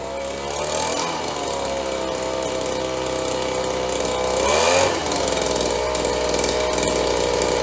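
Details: Roughly 30-year-old Stihl BG72 two-stroke gas blower on the starting bench after repair, with good compression and spark, started on choke: a high, raspy buzz with a brief pitch dip and recovery, then it settles. It started rough but runs cleanly once warm.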